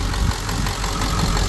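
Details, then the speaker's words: Ford Excursion 7.3 diesel, rebuilt after wreck with new water pump, started via yellow wire: steady low diesel clatter at even idle, no misses or odd knocks; normal idle. "sounds good no drama no weird"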